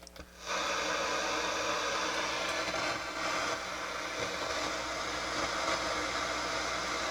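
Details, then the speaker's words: Realistic STA-780 stereo receiver rescued from e-waste, after repairs: FM tuned to a local station gives only steady loud hiss, no reception, while AM works; FM fault cause not yet found. "hmm we still got problems well they know how to do that am's working well fm is not"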